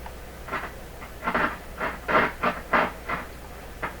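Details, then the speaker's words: Nordmende 3004C tube receiver, first test with two speakers attached, around 80 watts mains draw; irregular scratchy crackle bursts several per second with no steady tone, heard from both speakers. Scratchy speaker noise. "I think I can hear that scratchy from both speakers."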